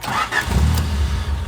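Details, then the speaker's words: 3rd-gen Honda Prelude with a new fuel pump kill switch engaged and no pump prime heard: brief crank, then the engine catches and idles rough. Owner suspects it is using leftover fuel; it then won't start. "Dude, what? Okay. It's probably just using what fuel is left."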